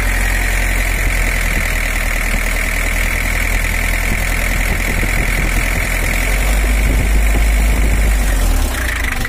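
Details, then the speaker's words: 1984 Toyota Hiace LH11 diesel, running after cylinder head servicing for overheating: loud, clattery, uneven idle with strong low rumble, noisier than a typical LH11; bubbles in coolant indicate a cracked cylinder head. "Suaranya masih normal, teman-teman. Agak terlalu berisik. Ini tidak terdengar seperti LH11 pada umumnya."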